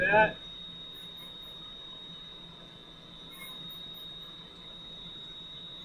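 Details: Valve grinder refacing a valve face with lubricant flowing, stone run back and forth: steady high, thin squeal holding evenly as the wheel works across the valve face; normal grinding.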